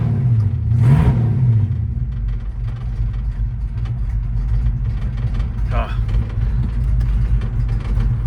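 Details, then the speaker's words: 1968 Ford Fairlane 500 Fastback automatic, sat eight years, first drive after an earlier no-shift problem: engine pulls from low revs and the note drops cleanly through the upshifts to second and third, with no flare or slip. Normal shifting, car drivable. "Second. Third. Aha! She's drivable, boys and girls, ladies and gentlemen."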